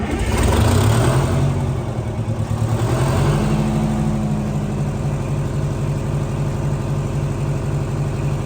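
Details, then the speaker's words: Detroit 8V71 two-stroke diesel, taken from a bus and swapped into a John Deere 5020 tractor, just got running off its fuel system on a very cold night in the shop: deep even drone on the hand throttle, revving briefly, perhaps to 1500 rpm (uncertain). Runs healthy, no knocks or misses. "we just got it running and we got it running with off we got it running off the fuel system we got to running off the hand throttle"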